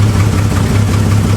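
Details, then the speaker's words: Jeep engine restarted after the distributor was turned to adjust the timing; it idles evenly with a firm low thrum and no stumble, miss or tapping, without any throttle. Timing now seems right. Normal idle. "I think that's right. I didn't even give it really any gas. I think it's good now."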